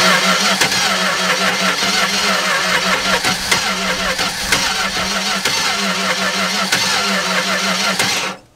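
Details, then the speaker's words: 1964 car with a newly installed 318 poly-head engine, crank-no-start: labored, uneven cranking that jerks against compression; ignition timing advanced too far causes kickback, so timing is backed off slightly. "come back a little more because here it's starting to kick back a little bit"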